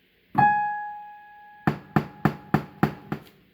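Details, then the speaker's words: Casio PX-850 digital piano, A5 and Ab5 keys only: sharp popping on each key strike, louder with harder strikes, mainly from the left speaker, suggesting a speaker or amplifier fault. "okay and you see that the sound would be louder if you hit the key harder so you can try it if you hit it like in a softer way then this the sound would be lower"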